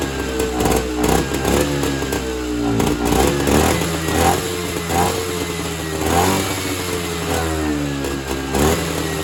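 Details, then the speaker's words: Evinrude Bobcat 25hp two-stroke snowmobile, sat 20+ years, on mixed fuel fed by hand: uneven surging and sagging revs with unsteady crackle; owner suspects carb not working, fuel bypassing back to the tank, running only on supplied fuel. "So basically what has happened is the carburetor is not carbburating. So, what I think is happening is the fuel is just bypassing the carburetor and returning back to the fuel tank, and it's not actually getting sucked into the engine and burned."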